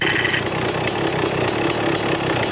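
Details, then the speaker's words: 1995 Kawasaki KX250 two-stroke, first start after sitting, idling with clutch lever pulled: raspy metallic grinding buzz; owner suspects screws on the dented clutch cover nicking the clutch as it pushes out, unconfirmed. "when you pull in the clutch the clutch comes out and i bet you one of those screws is just nicking up against that thing"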